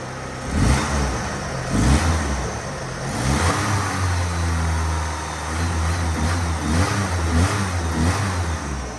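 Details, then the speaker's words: 1977 Ford Pinto Cruising Wagon with 2.3 swapped from a 93 Mustang; with idle air control valve working, engine blips up then drops back to a steady low idle as it should; alternator not charging, low voltage. "then it rles down that's how it's supposed to act"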